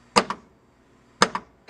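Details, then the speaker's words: 1993 Williams Star Trek Next Generation pinball (WPC) during diverter repair, on a circuit breaker in place of the fuse; drop target down and up coils fire with crisp clean solenoid snaps via the interlock switch: normal drop target coil firing. "i'm pushing the interlock switch for the power and i can hear the drop target down now work or if i go drop a target up and hear that work"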